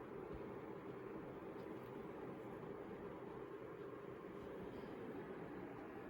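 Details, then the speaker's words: Arçelik 16380 / Beko 31680 tower fan with air purifier and HEPA filter, at speed setting 7 of 10: steady, even whoosh of air with no ticks, rattles or wobble, louder as speed rises; runs smoothly. "7 , the sound also increases, as you can see."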